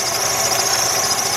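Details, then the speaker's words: 2003 Jeep Liberty Sport with code P1491, listened to up close while warming at idle: thin, steady high-pitched whine over engine hiss, alternator failing; battery voltage dropping, dirty battery terminals. "That thing is definitely whining. Let's go over here and listen to this. Not a bad alternator to change"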